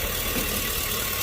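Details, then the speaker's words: 2005 Chevy Tahoe idling after replacing a leaking vacuum line. It had shaken while driving and flashed the check engine light. Short, even idle with a steady hum, no hiss or stumble; normal idle, shaking gone. "Looks like it's doing good. We're not getting no more shaking of the engine. The whole engine was shaking, so problem fixed."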